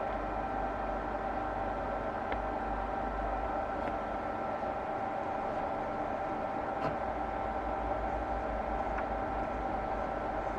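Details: 1948 Radio Rentals model 60 valve radio on the bench, audio injected at the output valve grid during first checks; only a faint steady hiss with thin constant whine, audio stage giving far too little volume.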